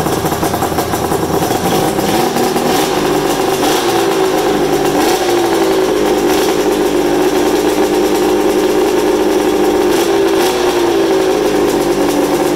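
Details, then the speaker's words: Polaris super mod flatland sled two-stroke with fresh top end, 50:1 premix plus oil injection, test-fired in shop with belt off: loud, crisp buzz holding steady pitch with small throttle rises, firing evenly, no misses or knocks, smoky; healthy running. "Oh the thing that sounds so good put all that smoke in the air that's the best part about a 2-stroke"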